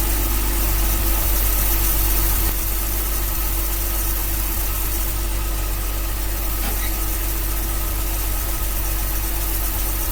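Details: 1966 Dodge A100 van, 225 ci slant six, cold start after long sitting, coil fed by jumper wire bypassing broken ballast-to-coil wiring: steady, even low idle for ten seconds with no misses; runs well, accelerator pump plunger dried up.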